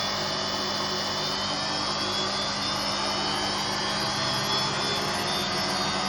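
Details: Hotpoint Aquarius WMA58 washing machine on spin: steady loud roar with a rough, grinding hiss and constant droning hum, from worn drum and motor bearings.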